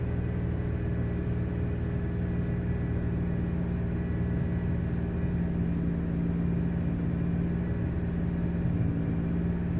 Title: Misfires